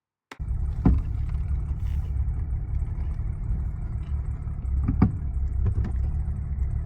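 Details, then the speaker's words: 1979 Mercedes 116, driving over bumps: sharp single clunks over steady road rumble, also on steering turns; front right tie rod end heavily worn with torn boots and play, replaced to eliminate the clunk. "so the right side you can see he's got way too much mobility in there and that's what was making the clunking uh the rubber boots are torn there's a lot of play in them"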